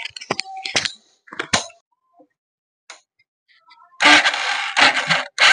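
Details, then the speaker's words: Hero Passion Pro/Splendor motorcycle self-start: three harsh buzzing grinds, each about half a second, when starter pressed; loud noise comes from the starter motor clogged with dust, not an engine problem. "এই যে এই যে আওয়াজটা না, এটা কিন্তু কোনো ইঞ্জিনের সমস্যা বা অন্য কোনো সমস্যা না। এই আওয়াজটা হচ্ছে সেলফ থেকে আওয়াজটা আসছে।"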